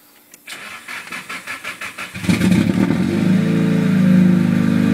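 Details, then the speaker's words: Nissan Silvia S13 SR20DET, first startup after engine reinstall, cold at 15° water temperature: about eight cranking beats, fires after two seconds, settles into loud steady healthy idle; squeaky alternator noted. "yeah like I said it's loud but it sounds mint so my engine's at water temps 15° so can't rev it at yet"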